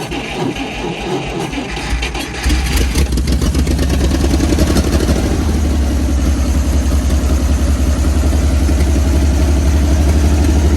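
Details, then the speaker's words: 1955 Dodge M152 command truck, cold start after sitting 15 years, with batteries put in, a full tank and a fuel line run from tank to engine: cranks a couple of seconds, fires and settles into a steady low rumble that firms up; normal cold start. "with a verb the engine came to life with the engine running we were good to go to move it off healed"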